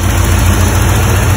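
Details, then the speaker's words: 1985 Porsche 928S V8 after fuel pump and filter replacement and topping up a quart of missing oil, first run after long storage: deep steady idle rumble, even rhythm, no misfires or tapping; sounding good. "Well, we're running. Risky business lives. But she's sounding pretty good."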